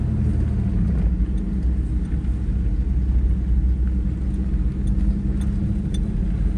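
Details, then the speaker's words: First-gen Toyota 4Runner on a pavement test drive through a sharp corner after a factory electronic locking diff swap (4.30 gears, welded front diff and rear locker removed): even low rumble, no clanking, banging or tire chirp. Normal cornering. "No clanking, banging, you don't hear the tires chirping. Overall, I'd say that's a win. This thing does a lot better on the street."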